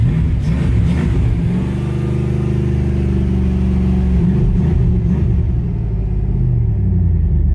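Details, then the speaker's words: Truck starting on a reconditioned 12V battery that read about 11.9 V after sitting a week off the charger: brief crank, then a steady, even low rumble; normal start and idle. "Okay guys, well, it's starting. That's great."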